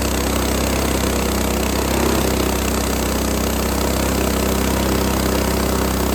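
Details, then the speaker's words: Frontier OS18 sawmill's Lifan 7hp GX200-clone engine, repaired from zero compression (blown head gasket, loose bolt): steady, strong buzzing drone holding pitch while cutting very dry, hard ash on a sub-par blade, no sputter or misfire; normal under load. "This is very hard wood, so I mean, I got through it, but I don't think it struggled too much, and seemed to have lots of power. Sounded ok"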